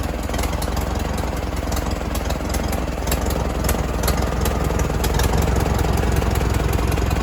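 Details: 1942 Farmall Model H petrol/paraffin tractor, hand-crank start, first run after sitting many years: slow, even, unbroken low chug at about two and a half beats a second; running cleanly.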